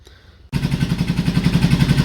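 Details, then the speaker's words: Honda Shadow V-twin, 20k miles on the same oil, parked 4 years, treated with Seafoam and cleaner: even loping twin-cylinder pulse, firing on both cylinders again after previously not revving; fuel pump possibly weak. "Man, that is unbelievable. This thing is firing on 2 cylinders again. This thing wouldn't rev up before."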